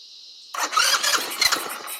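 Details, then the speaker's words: Baja Dune 150 buggy with Chinese engine; brief whir then engine catches at once and settles into a quick, rattly run; starts cleanly. "Oh, that just fired right off. So, you guys heard that. That literally just fired right up."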